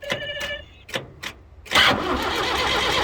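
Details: David Brown 995 tractor in neutral, fuel on, bleeding air from fuel filter, pump and injectors: short cranking bursts with clicks, then steady crank that never catches; air in fuel prevents firing.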